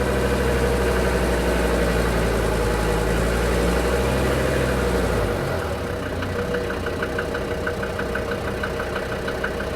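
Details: DB29 diesel at idle, foam in fuel and small bubbles in return line after about 3 minutes, not purging: lumpy idle with sharp knock about three times a second over heavy low rumble; injector knock, likely air in fuel.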